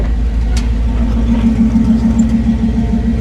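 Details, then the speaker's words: LS-swapped Chevy C10 on first start with ACES Jackpot 2 fuel injection, charging voltage reaching 14.2: deep, steady idle with an even low pulse around three and a half per second, no hunting or misses; normal idle. "And now it's sitting at 142. All of a sudden, the truck's running pretty good."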